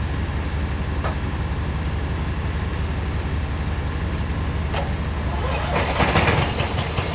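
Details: Abandoned 1996 Briggs 17hp I/C flathead opposed twin, running on its own for the first time in over ten years; the weak battery couldn't crank it fast enough. Steady, even low-pitched idle, no misses or stumbles; normal idle.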